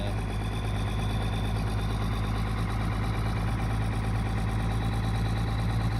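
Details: 1999 Dodge 2500 5.9 24V Cummins started around -3°F in Iowa, unstarted for weeks: deep, slightly lumpy diesel idle held steady and fast, the normal cold three-cylinder high-idle warm-up mode; sounds bad but warms up faster.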